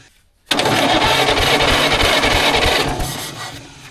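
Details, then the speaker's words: 1940s Caterpillar D8 dozer's small pony/starting engine, sitting unused for decades: after silence, a sharp popping run of about three firings a second fades out as it catches on ether sprayed in with air cleaner removed; spark confirmed on both cylinders. "Oh, yeah. She's got the sparkage. [laughter] And I know that our contacttor stayed in there because I heard it hit on both cylinders, not just one."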